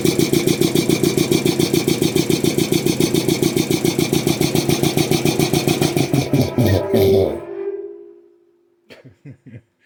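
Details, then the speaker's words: Restored old DeVilbiss 445 air compressor on electric motor, speed checked with tachometer: quick even pumping beat about three and a half per second, then spins down and stops; running too fast, owner wants a pulley for about 350 rpm. "So, ideally, I would want this thing running a little bit slower. Um, I'd like to get a pulley maybe for about 350 or something like that for that electric motor until I get a bigger motor anyways."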